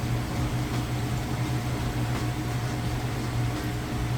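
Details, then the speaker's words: Whirlpool vortex top-load washer, final spin with the drain running: a smooth, even low hum and steady whoosh with no knocking or thumping; the spin is balanced and quiet. "You can hear the drain running. Nice quiet operation. Smooth and balanced."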